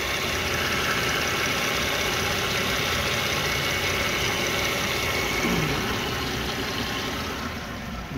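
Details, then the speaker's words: 2014 Hyundai Santa Fe after engine repair and new water pump, parked for months: steady, even idle with a light regular tick under the hum and no heavy knock; running fine. "Alright, coming on fine."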